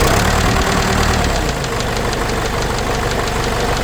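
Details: Case 586E Cummins 4BT diesel after teardown and new oil pickup tube: idle with steady fairly even knock about four per second over low rumble; knock still there, cause unknown.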